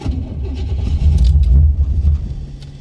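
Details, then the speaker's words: 1985 Chevy Corvette C4, cold morning start: low uneven cranking chug for a couple of seconds, trails off without settling; takes several tries before finally firing. Hard cold start. "boy she does not like starting when she's cold"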